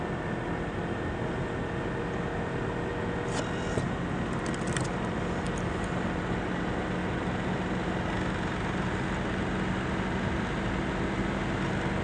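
Steady loud rushing whir with a faint constant hum that never changes; the laptop fan is running noisy, cause unclear.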